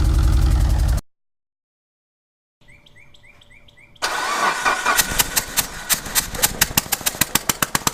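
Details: Mitsubishi Evo VIII started after sitting over a year in a garage: sharp regular tick hammering over a rich-smelling, lumpy idle that wants to die then holds and slowly speeds up; knock at idle, cause unknown.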